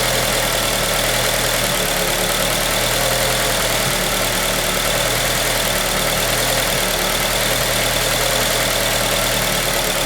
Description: 2003 Acura RSX Type S. It has a rough idle and I'm not really sure whats up.